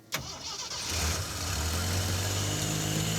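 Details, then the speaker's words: Lifted 1976 AMC Pacer 4x4 on 35-inch tires, with a loud fuel pump. Short crank, catches cleanly and idles down to a steady, even idle; normal start and idle. "it's so good like new yeah and it's idling down as it should"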